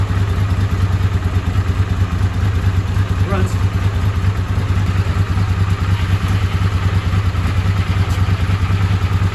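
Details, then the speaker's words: Honda CX500 V-twin after the ignition was repaired: a steady, even thrum with no stumbles or popping. It runs clean and pulls strong, unlike before. "test run and it runs really nice I love it pulling strong not like it did before"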